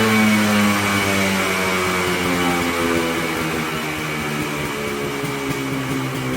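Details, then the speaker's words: Polaris Colt two-stroke after new fuel parts, cold weather, no choke cable; now idles on its own (didn't before) but steady buzzing raspy idle sits noticeably fast, without dropping off. "Well, it's idling. It didn't idle before. Sounds like it's idling a little high."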